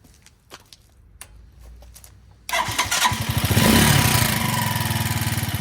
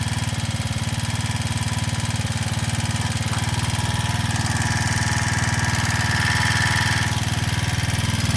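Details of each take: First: After carburetor cable adjuster loosened on a Janus Halcyon 250 fitted with a 28mm Nibbi performance carburetor, engine starts and settles into a fast, steady beat well above normal idle; idle racing, cause suspected, not confirmed. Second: Janus Halcyon 250 single-cylinder with new 28mm Nibbi carburetor, after idle adjustment: steady, even putter at smooth idle with no misses or hunting; target idle about 1500–1600 RPM, idling cleanly.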